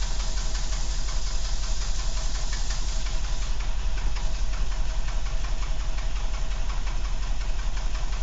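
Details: Renault 12 estate (break) engine at idle: regular light tapping riding over the low hum; engine noise present, cause unclear.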